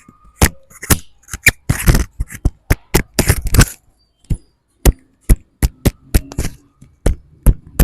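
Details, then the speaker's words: Circa-2010 car: sharp dry clicks, about two to three a second, as a worn, loose tie rod end is rocked by hand; causes clicking and squeaking when steering left and right. "اهو ده يعمل معاك ايه يعمل معاك طقطقه مع اللفه يمين وشمال وتزهيق"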